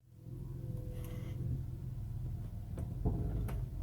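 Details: 2003-2007 Honda Accord V6 automatic: a few dull, isolated front-end clunks as the car comes to a stop, over low road rumble; struts, sway bar links, steering rack, tie rods, engine mounts and upper strut mounts already replaced; owner suspects worn lower control arm bushings.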